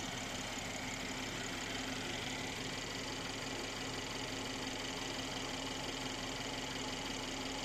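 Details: Mercedes C43 AMG engine at cold start and idle: smooth, even idle with steady hum, no loud rattle on starting and no knock at idle; normal, healthy engine.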